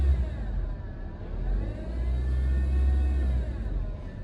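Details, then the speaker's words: 2019 Honda Civic, engine started and revved slightly: rumble with a faint whirring whine rising with revs, from a worn serpentine belt auto-tensioner bearing. "ये आपने देख लिया है, जैसे ही गाड़ी को स्टार्ट करके गाड़ी के आर्किंग थोड़े तेज करते हैं तो इसमें से अजीब सी आवाज़ आना स्टार्ट हो जाती है।"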